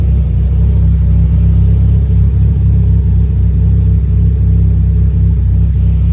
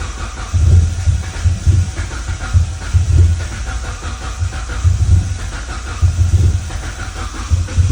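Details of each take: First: E85 turbo car at idle after the tune was adjusted for a slightly lean idle and a fuel line leak that had made it run rich: deep, even idle with a steady low rumble, no stumble, miss or flutter; healthy. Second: Crank no start after fuel pressure regulator replacement and fresh fuel: steady starter churning about two pulses a second, never catching; cause was a MAP sensor not fully seated.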